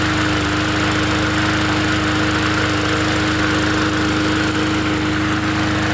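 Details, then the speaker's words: Free 20-inch Bolens push mower from the dump, fixed up to sell: small single-cylinder engine holds a steady buzzing speed with constant tone, no surging or knocking; runs and does what it needs to do. "It runs and it does what it needs to do. That's all that matters at the end of the day."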